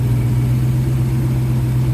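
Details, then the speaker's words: 1971 Oldsmobile Cutlass Supreme after installing an Edelbrock 1791 self-regulating electric fuel pump and new fuel line, running about 10 minutes: steady, even low rumble with no misses, knocks or surging; owner says it sounds pretty smooth, normal idle. "Okay, so it's been running about 10 minutes now. Just wanted to make sure that everything was okay. Sounds pretty smooth."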